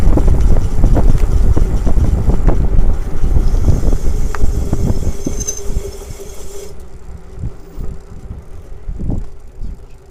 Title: Lectric e-bike screeching noise from motor